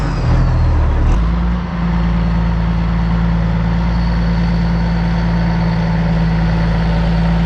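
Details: 2004 Kenworth W900L with a CAT C-15 diesel: a deep, steady rumble with an even beat and no knocks or misses. Idling smoothly, as it should.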